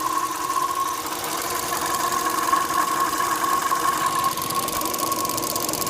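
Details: Opel Astra J 1.4 A14XER petrol at idle: a constant whirring tone around 1 kHz from the left engine side. It is rpm-dependent and gets deeper with the AC compressor on. The owner suspects a belt rubbing on a hollow part or flow noise in the fuel filter.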